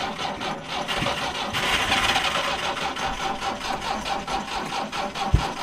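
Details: Truck that sat at a ranch where mice got in, owner suspecting chewed wiring: long steady starter cranking with no firing or catch. Extended cranking, no start, cause unconfirmed; jumper cables tried next.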